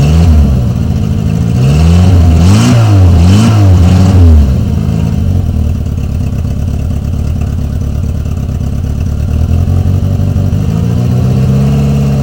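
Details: Renault 19 on its first move after engine repair: engine rises and falls cleanly through several quick revs, then settles into a steady even pull with no knocks or rattles; normal running.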